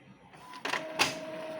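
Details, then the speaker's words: Epson L3110 printer noisy when printing: two sharp clacks and a scraping burst as the paper is pulled in, then a steady motor whine. "อ๋อนี่ครับเวลาดึงกระดาษนะครับมีเสียงนะครับแล้วก็ดึงกระดึงกระดาษลงได้นิดนึงนะครับผมอาการนะครับเวลาดึงกระดาษแล้วมีเสียงดังนะครับ"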